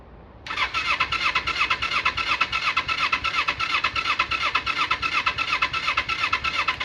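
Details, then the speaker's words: 1995 Kawasaki Eliminator EL250 motorcycle, long laid up, cranked on full choke with the fuel on reserve: even but sluggish pulses just under three a second, never catching, as the battery dies; owner suspects the spark plugs are why it won't start. "Don't really want to rev it. Yeah, battery's dying now."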